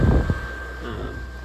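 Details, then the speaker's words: Cheap 12 V mini split AC in a Cirrus 620 truck camper, R134-charged, compressor relocated under the bed next to the fan: deep steady hum with high tone as the compressor ramps up smoothly, no rattle, drawing about 687 W. "But yeah, now you can hear it really ramp up. Uh the temperature should rapidly come down."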